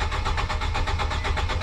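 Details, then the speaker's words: Nissan Sentra that shut off while driving, after a fuel pump replacement and a new 15 A fuse in place of a broken one: the engine catches and settles into an even, steady idle with regular firing and no misses. The bad fuse was the cause. "at this time it was the fuse that was bad"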